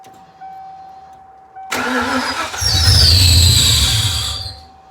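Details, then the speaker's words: Ford Fox-body after years of sitting, first start: engine cranks and catches, then a loud high screech wails over the revving for about two seconds; seized smog (air) pump, freed afterwards with hammer taps. "my smog pump froze up. So I hit it with a hammer a few times and it freed up. That was that screechy noise."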